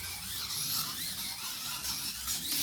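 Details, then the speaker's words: Restored Tyco 440X2 slot car after chassis rework, new pickup shoes and silicone tires, lapping the track: high, smooth whir rising and falling each lap, smoother and faster than the old setup's 7.6 s best; motor running cleanly. "Here we are with the new one we did the work on. You can already hear it's a lot smoother, faster."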